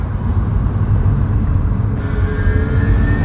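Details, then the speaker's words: Mercedes B-Class B250e with Tesla large drive unit, pulling away from a stop: road roar with a faint whine near 2 kHz that rises in frequency with speed under power and goes away when off the throttle; drive-unit bearing milling noise from fluted gear bearings. "so if we pull away from a stop here you can hear that as I pick up speed the the frequency increases and then if I let off the throttle the noise basically"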